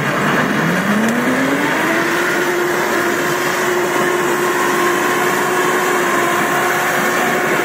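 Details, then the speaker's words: Samurai rotary mower with chain-driven rotors, started on second then third speed: loud steady tone climbing as the drive spins up then holding level; normal gearbox and chain hum, nothing to worry about. "Косилка страшная, гудит она страшно, но не надо этого бояться."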